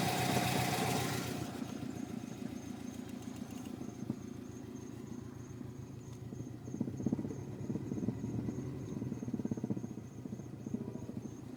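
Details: Legacy GT at idle up to 1,200 rpm: dull, uneven low thump pulsing about four times a second under light ticking; thumping noise at idle, source not confirmed.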